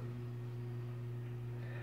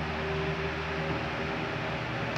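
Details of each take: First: 40 cm mains fan with a 2.5 µF 400 V run capacitor, tested through a bench lamp: a steady hum as the motor buzzes but won't start on its own. It runs only when pushed by hand, in either direction. The run capacitor has failed. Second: 40 cm fan after repair on 220 V mains, run at speeds three, two and one, with a new run capacitor fitted. An even, smooth hum with no rubbing or ticking, so the fan runs normally.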